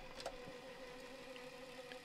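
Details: 1981 Toshiba RT-S702D radio cassette recorder, cassette mechanism just serviced with two new belts, first test. Rewind gives a quiet, steady whirr with an even tone and no wow, squeal or slipping; rewind drive works smoothly.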